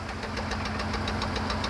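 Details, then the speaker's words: 1993 Ford F150 with five-speed manual and fouled plugs, idling with sharp even ticking about seven per second; exhaust leak ahead of the muffler, where a square has been cut out. "all right Morgan you hear this sound yeah that is very typical with an exhaust leak"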